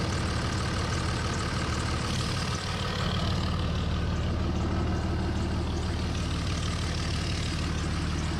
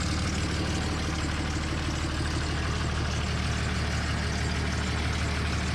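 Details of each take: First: 2003 Dodge Ram 5.9 Cummins after HY35W turbo replacement: steady deep diesel clatter at even idle, about three beats a second, no whistle or rough spots; healthy. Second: 2003 Dodge Ram 5.9 Cummins diesel idling right after HY35W turbo replacement: steady idle with a sharp puffing tick at firing rate over the clatter, exhaust escaping from a small unplugged manifold hole that needs a plug.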